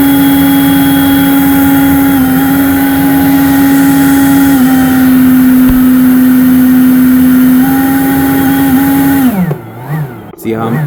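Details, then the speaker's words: Lightly to moderately used Ryobi 40V brushless Whisper blower: steady fan whine dips, drops out and stutters back, cutting in and out under full trigger; owner suspects the trigger/signal switch, not the motor. "See how so as you see me not moving my fingers just in the first position should give me the lowest slowest amount of air and instead it's cutting in and out."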